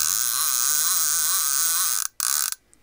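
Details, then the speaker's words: Shimano TLD 15 lever-drag fishing reel, possibly from the 1990s, after a full rebuild with all bearings replaced and a carbon drag washer fitted. The ungreased clicker gives a fast, even, loud but smooth buzzing rattle as the spool turns: normal clicker operation. "all nice and smooth I didn't add any grease to the clicker when you add grease to it it seems to quieten quieten it down so I didn't grease it"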